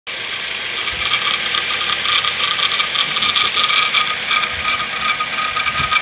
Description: Rattling engine sound recorded from under the bonnet. We turned the engine inside-out but can't seem to find the cause.